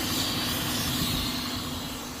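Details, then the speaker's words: 2006 Cadillac STS 4.6L at idle, low mass airflow reading: steady airy hiss near the intake; vacuum leak where a hose clamp cut through the intake hose. "It sounds like we have a leak back here, guys. I don't know if you can hear that. Definitely sounds like a leak."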